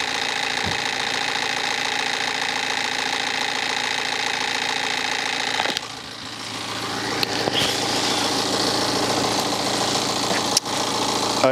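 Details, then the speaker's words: BMW 318d with N47 diesel, engine cold, timing chain suspected: cold start with metallic rattle about four a second over the clatter, easing slightly, loose engine cover adding noise, also a squeak; cause not confirmed. "Okay. So, there definitely is some kind of rattle on startup. I don't think it's helped with this engine cover being loose."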